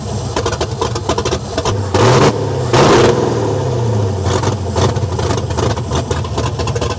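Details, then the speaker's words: LS V8 swapped into a Dodge Dakota, first start: idle surging and sagging unevenly, never settling; fuel pump not switched on, fuel pressure cuts off; owner unsure whether too much or too little fuel. "like right there you can kind of hear the idle moving out when it's not way too much fu"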